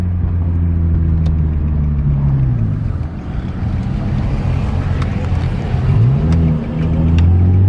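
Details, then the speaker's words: Nissan 350Z after a misfire was fixed, accelerating through the gears. The petrol engine pulls smoothly and strongly, its deep note rising evenly with no stumble or misfire. "oh yeah feels real good now i'm really happy feels really really good now"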